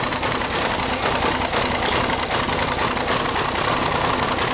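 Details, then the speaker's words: Military diesel KLR motorcycle just primed, with air still in the system: rapid, clattery idle with a busy ticking that evens out as the injection pump is shifted on its slotted holes to correct timing; fuel lines were leaking. "yeah so now you're going to shift that pump just a little bit on them slotted holes we're going to put a tweak to the cliff and it's going to clear up we'll see that idle clear up"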